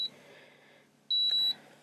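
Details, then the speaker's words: An 1800 W induction cooktop powered from a Jackery Explorer 1500 and turned on high with no pan gives a shrill, high warning beep: a short blip, then a longer half-second tone over quiet room hum. It beeps because no pan is on it. "and oh you know what i need to actually put something on top of it because you hear that beeping it wants something on it"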